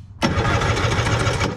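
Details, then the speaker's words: 1970s Wetco Wetbike, sitting about 25 years, compression test with seized closed throttle: brief fast even cranking with steady pulses; about 145 psi on both cylinders, healthy engine. "the throttle's completely seized so the plates aren't open but here we go beautiful like 145"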